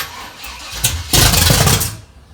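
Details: Dad's carbureted car: starter churns, then a short ragged burst of firing on starting spray that dies within a second; won't keep running, cause suspected, unconfirmed.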